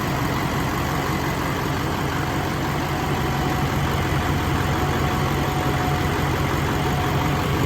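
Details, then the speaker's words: LBZ Duramax diesel swap, first run on a rigged-up temporary fuel system with lift pump: steady even idle clatter, no knocks or funny noises, slight occasional lope owner attributes to the lift pump; normal idle. "that motor sounds good no funny noises there's a cts2 it's got a little lope sometimes"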